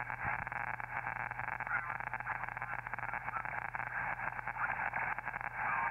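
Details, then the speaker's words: Elecraft K2 HF transceiver on 40 meters during first listen on antenna, noise blanker not yet installed: harsh, dense crackling static from electrical interference in the neighborhood, though the radio is working. "so that crackling that sounds like really bad static is just noise from electrical interference in my neighborhood unfortunately but the radio is working"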